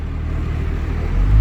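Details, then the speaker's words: 12-valve Cummins diesel truck after O-ringing the block and head work, on test drive: deep even rumble building smoothly while pulling away, no knocks or misses; AFC Live not yet hooked up, no overdrive. "oh man pouring that head in exhaust made this sounds so much better"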